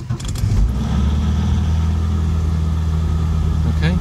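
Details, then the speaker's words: MGB GT with choke on, in neutral, after clutch slave cylinder replacement: brief crank, clean catch and steady even idle with no misses or knocks; normal start. "so there we can have that so that's good okay so it starts fine now"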